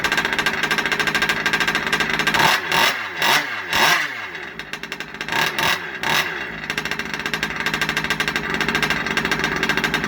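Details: Freshly rebuilt Rovan 30.5 two-stroke (ESP ported high-torque top end, +2mm stuffed crank), running after its first start: crisp, steady idle with a few sharp blips up and back down; healthy and responsive.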